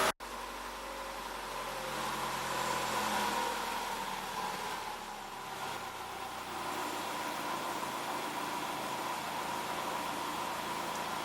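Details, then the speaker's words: Cold idle at about 850 rpm after replacing gauge temperature sender, ECU coolant sensor and thermo-fan switch and topping up coolant; engine settles steady and even with faint constant whine, no hunting at this moment, though idle hunting persists less severely; normal idle. "that's just about perfect that's at uh 850"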